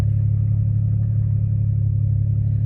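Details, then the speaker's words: 2008 Pontiac G6 with no-crank no-start problem finally starts after key cycled three times; steady, even low idle hum with no misses or knocks, though lights still flicker and owner suspects anti-theft system or BCM. "then I do it one more time and then you see started right on up"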